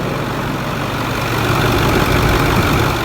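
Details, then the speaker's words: Ford 6.4 diesel dump truck at first cold start, exhaust manifolds due for work: steady low idle with even chug, no knocks or misses; not warm yet, sounds fine. Normal cold idle. "not too bad sounds good it's not warm yet"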